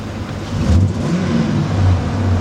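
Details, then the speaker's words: 2005 Ford F-250 Super Duty 5.4 V8 with no power on throttle and code P0506 (idle control system malfunction): rumble rises but sputters and falters like a misfire; carbon buildup on the throttle body suspected. "No so sputtering like it like it has a misfire"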